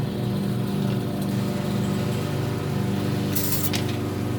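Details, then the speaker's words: Alita 60 linear air pump after rebuild: smooth, steady low hum with soft air hiss and no rattle or buzz, much quieter than before, with very strong output; running normally. "Oh, look at that, so much quieter. It's almost no noise. The only noise you're hearing is from the air."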